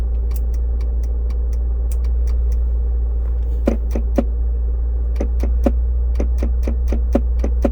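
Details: 2002 Land Rover Discovery S2 SE at morning cold start: sharp, even clicks about four a second from the under-dash fuse box, fading after a few minutes. Louder when the shift lock engages with the brake pressed, and the shifter lights blink in sync; cause suspected, not confirmed.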